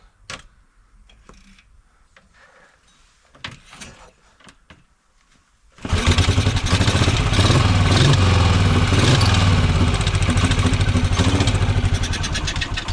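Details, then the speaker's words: Norton Model 50 single-cylinder motorcycle, with spark confirmed, catching after several seconds of fumbling and then running with a fast, uneven beat. Hard starting; the carburettor is suspected to be bunged up. "Well, it's a start. We had it fired. I think the carb's a bit bunged up."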